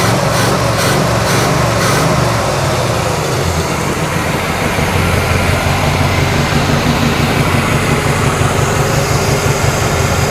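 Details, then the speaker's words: 1987 Chevrolet Monte Carlo SS V8 after sitting 20 years, idling before warm-up, microphone under the car: steady idle with uneven puffing rasp, no valvetrain ticking; exhaust leak. "I hear no ticking, nothing under the engine. All I hear is that uh exhaust leak."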